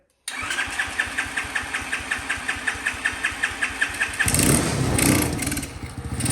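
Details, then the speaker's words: Champion, new, previously no spark: even cranking pulses, then catches and settles into a steady healthy run; may need a minute to warm up, idle possibly needs turning up slightly. Normal start and idle. "it may take a minute to warm up just leave it up that's a nice sound I haven't heard for a while"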